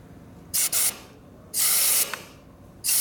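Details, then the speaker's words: 1999 Harley 80ci Evo with a big oil leak; when the crankcase is pressurized, air hisses in sharp bursts through a case hole whose top screw broke and bottom screw hole is wallowed out, so a screw is needed there. "going to the C that does not sound good did you hear it blowing through yeah okay so that means there has to be a screw in there"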